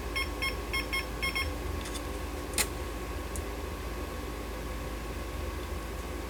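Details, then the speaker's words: Fluke tester with a 6502 pod on a 1979 Atari Asteroids PCB, with a control error on bit 4 (R/W): quick bursts of high beeps over room hum. Error beeping, traced to a faulty pod cable; it cleared once the cable issue was found. "is this a problem with my with my cable now it says it's okay i got a bad cable dammit"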